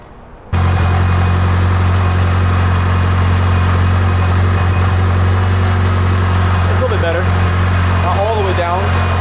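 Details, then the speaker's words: Rebuilt Mitsubishi Lancer Evo 8 idling after the fuel return fix, fuel pressure now about 45-47: smooth, even idle with a steady low burble, no misfires, stumbles or hunting. Sounds a lot better, healthy. "Sounds a lot better."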